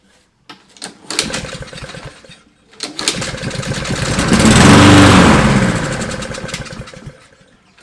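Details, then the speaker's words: Fire-damaged Husqvarna LC 221RH mower with a Honda GCV 160 engine: two pull-cord cranks, then it catches, runs a few seconds and dies. Fuel is in the line but not reaching the carburetor; fuel starvation. "i don't seem to be getting any fuel into the carburetor and that heroes is full"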